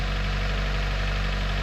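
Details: 1996 Honda Del Sol at first start after timing belt and water pump replacement: a steady, smooth low idle rumble with no knocks or ticks, so the engine is healthy and in time.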